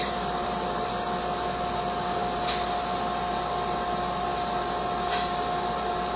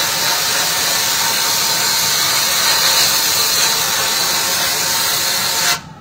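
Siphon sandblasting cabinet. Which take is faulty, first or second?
second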